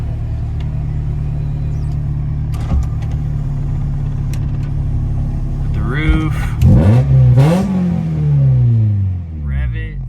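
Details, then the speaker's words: 30-year-old Honda (Acura) Integra after much-needed maintenance and upgrades, slight idle surge present: crisp, clean revs climbing and falling smoothly with the throttle, no misses or knocks; healthy revving. "I mean, dude, it sounds amazing. It's It's feeling amazing."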